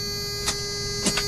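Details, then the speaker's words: 1995 Toyota T100, four-cylinder 5-speed, over 200,000 miles: key turned, lights on and fan running, steady electrical hum with a few sharp clicks and no cranking; weak battery. "we're gonna try to start the truck and you'll see what my problem is nothing it just kind of goes click"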